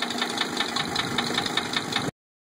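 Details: 1980 Mercedes 300SD diesel after valve adjustment: sharp, regular knocks about five per second over the idle; the adjustment did not change the knock, cause unresolved.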